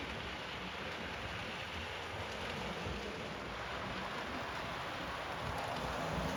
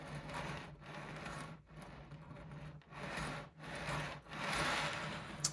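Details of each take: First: Model railway train being test run over newly relaid track before ballasting: even, steady rolling hiss with faint regular clicks about four a second over the rail joints; runs smoothly, no snags. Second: OO gauge model railway: a rhythmic dry rasping scrape about once a second as coach wheels roll over a kink in the track. The kink formed from track expansion with too small a gap; the section is to be replaced.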